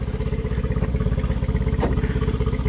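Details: 2013 Yamaha 9.9 four-stroke outboard on garden-hose flush after rough-running diagnosis: even steady low thrum with regular firing pulses, no misses or stumbles; engine running cleanly, much better.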